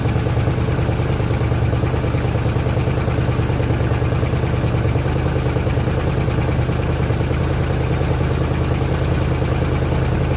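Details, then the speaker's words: 1973 Chrysler Newport 400 V8 from a junkyard, running after fuel system hookup with fuel reaching the filter: a steady, even low rumble with no knocks, misses or stumbles; only a little smoke and oil pressure present. Normal idle. "where well it sounds like it's running"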